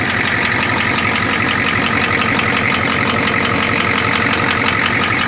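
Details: Ford 6.9 IDI diesel idling with a sharp, fairly regular clatter about three per second riding over the engine; engine knock, cause not clear.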